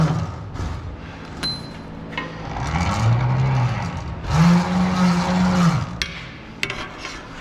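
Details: Truck hose reel electric motors on dual batteries, each reel drawing about 12 amps: low motor hum in bursts as each reel spins up and winds, light clatter between runs, reels working normally.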